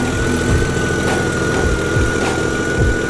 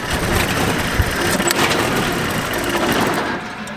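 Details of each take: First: Jeep after replacing two blown 50 amp alternator power fuses: steady, even idle with a smooth low rumble and a faint constant high tone; battery charging again, engine running fine. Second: Jeep running on a jump pack with a dead battery; voltage reads around 7, alternator terminal reading all over the place. Uneven, stumbling, misfiring idle with irregular pulses; owner believes the alternator isn't charging (later traced to two blown 50 amp fuses).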